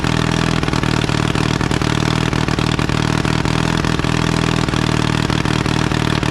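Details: 1952 Caterpillar D2 crawler, main diesel idling after being cranked by the pony engine, which was revived despite earlier dirt in its tank and a sticking clutch. Steady, deep diesel idle with an even beat and no knocks or misses; normal idle.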